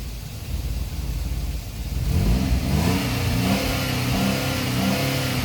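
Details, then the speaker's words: GM 3.6 replacement engine on cold start after crank/no-start trouble: fires and flares to a high hanging idle that won't settle, RPM trying to level out, lights dimming slightly; excessive cold-start fast idle, cause not confirmed. "That RPM is trying to level out."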